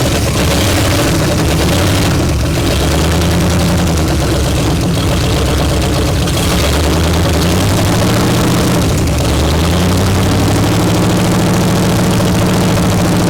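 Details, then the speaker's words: 1955 Pontiac one-owner car, sat about 42 years, first run with an unrebuilt carburetor: big engine runs loud and lumpy, revs surging and sagging; run to check engine health before carb rebuild, long-stored engine, health unclear. "we're going to try and run it anyway just to see if the engine sounds good and healthy"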